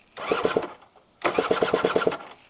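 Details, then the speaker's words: Honda Vision scooter on a second attempt to get it running; two short starter bursts with even chuffs, the engine turns over but never catches; cranks but won't start. "nothing. Bit of engine crack. Come on."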